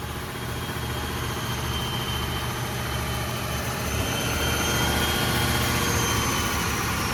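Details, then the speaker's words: Old Ford turbo diesel truck sat for years, first run after glow plugs, on jump box then own power: steady even diesel idle with faint rising turbo whistle; runs healthy. "well she is running on her own power we have disconnected the jumper cable and the jump"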